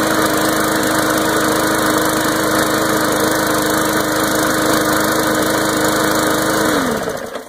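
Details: MTD Briggs and Stratton lawn mower that would not start, after cleaning: a steady high drone with a clean constant pitch and no misfires or surging, then a smooth shutdown, running properly.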